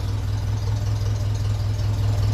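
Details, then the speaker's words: 1957 Ferguson 35 TVO tractor, warm, water temperature normal, with short trial vertical exhaust on a sleeve: slow, even tick-over around 600 rpm, deep steady thump, no misfires or knocking; healthy idle. "sounds nice ticking over but it would be interesting to see what it would be like going up a hill with a Trans Sport box full of stones but i' be happy with how it's running anyway I think that sounds that sounds nice"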